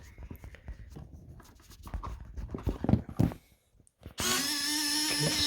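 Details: Crash-damaged servo from Eclipson Model A 3D-printed plane, powered by new battery: handling clicks, then steady high gritty buzz; damaged servo grinding.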